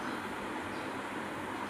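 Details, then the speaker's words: Washing machine drum after full service replacing bearings, oil seal and parts: smooth, even running hiss with no rumble, rattle or knocking, where before it made a loud rattling noise; drum bearings now healthy. "ஒரு voice ஒரு sound கூட இல்ல. ஸ்மூத்தா ஓடுது. முன்னாடி பட படன்னு sound கேட்டுச்சு."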